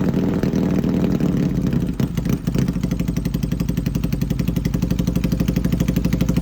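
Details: Yamaha XS650 twin misfiring: an uneven, stumbling beat with dropped pulses when revved, then settling into a lumpy idle.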